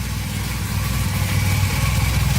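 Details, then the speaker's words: 1982 Honda CM450 that sat for years, first start with no repairs, choke being turned off: an even, steady low thump at idle with no misses or stumbles. It idles cleanly and runs perfectly. "oh hey that was pretty easy it's running perfectly that's crazy i didn't have to do anything"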